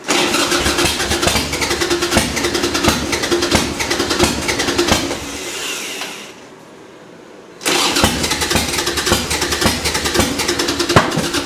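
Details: Harley Sportster partly reassembled with a new battery, in neutral with a little choke; the bike fouls plugs badly. Long starter cranking, a pause, then more cranking with no catch or fire; cranks but won't start, flooded.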